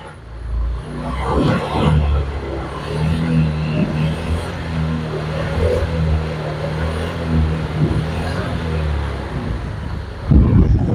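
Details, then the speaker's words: Honda Vario 125 old scooter engine stumbling and hesitating with a long lag when the throttle is opened, slow to pick up; fuel pump pressure about 250 kPa, near normal; traced to poor oxygen sensor connector contact. "nah ini ini Dikas pun engak mau tapi seperti ngedatngedat seperti itu itu cuma Berarti ada jeda nah seperti ini sering kali saya mendapati motor Vario yang seperti ini khususnya Vario 125 yang berkode cadget r atau Vario 125 old tu seperti ini gasnya itu Jedah lama"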